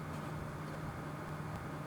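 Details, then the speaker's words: PC radiator after swapping the stock Corsair fans for BeQuiet Light Wings, other case fans off, mic in the case: smooth, steady low hum with no ticking or rattle, averaging almost 10 dB quieter than the old fans; normal fan running. "Whilst it's still fluctuating, you can see that the average that that's hitting has dropped almost 10 decibels from what the old fans were producing, and I can definitely hear it."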